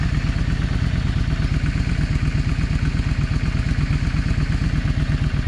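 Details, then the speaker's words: Yamaha 650 V-Star after the clogged front-cylinder idle jet was cleaned, idled down: a low, steady, regular thump about three beats a second. Both cylinders are now firing evenly and getting hot, giving a normal idle. "But yeah, the problem was the uh the idle jet. It was clogged. And I hopefully I got everything clean enough that I won't be having that problem anymore."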